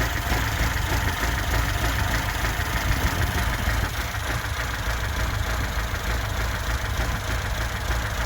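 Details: 1979 Lada Niva, reportedly tuned engine with twin downdraft Weber carb and K&N filter, after fitting a new distributor and spark plugs: steady, even low idle with a smooth quick beat and no misses or knocks; runs cleanly.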